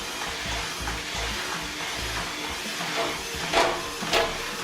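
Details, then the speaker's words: Washing machine during spin: heavy thuds roughly every half second as the tub assembly knocks around the cabinet, often with the machine moving; worn shock absorbers. "ce qui peut arriver c'est si vos amortisseurs donc sont usés vous allez avoir l'ensemble custombre qui est ici qui va se balader dans le châssis du lave-linge et ça va faire des bruits ça va taper"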